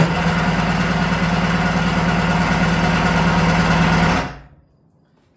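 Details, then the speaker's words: Restored vintage Kawasaki 550SX (reed motor, stage 2 port, dual 38 Mikunis) first start attempt: strong, even cranking at about four strokes a second, never catches; fuel seen in only one pickup line, carb suspected. "seeing fuel in one of the pickup lines. So, the carb might be bad."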